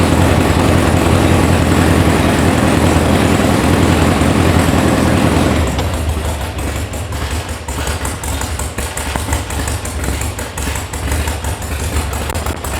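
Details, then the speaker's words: VW sand rail air-cooled engine, brought in as a non-runner, first start: loud catch and run-up then chuffing idle that hunts and stumbles, all cylinders firing; rough running, likely just out of tune. "Sounds like it needs a tune. Well, I'm confused. It's in here because it doesn't run."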